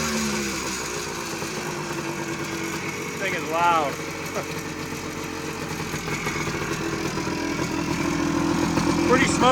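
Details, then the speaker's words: 1979 Suzuki PE250 two-stroke, warmed up, no air filter, 40:1 premix, loud, no air leaks believed; crackly burble holding steady idle, picking up briefly on a blip; normal two-stroke idle. "it sounds pretty good uh once I let it warm up it's able to idle on its own uh keeping in mind there's no air filter again so it's going to throw off the uh air fuel mixture a little bit uh but without it having a filter it's uh idling nice"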